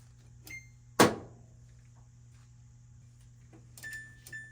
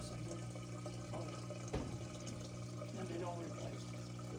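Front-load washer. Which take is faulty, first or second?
first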